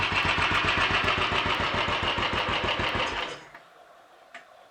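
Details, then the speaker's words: Royal Enfield 500 single after full engine rebuild (new mains, forged steel conrod with roller big end, forged piston, alloy barrel) and minor adjustments: steady even tickover about 3.5 beats per second, starting easily, then clean shutdown; normal idle. "it's ticking over nice and steady starting easily"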